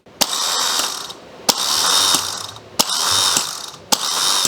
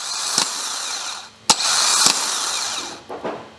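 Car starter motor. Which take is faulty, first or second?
first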